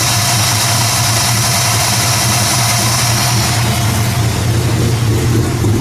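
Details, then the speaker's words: 1968 Ford Mustang Shelby GT350 restomod, V8 making 550 hp on dyno, heard under hood: deep steady idle with thin supercharger-like whine, just intake noise; normal. "It's got a little sound to it, almost like it's got a supercharger. Yeah, yeah. What's that sound? Just the whine."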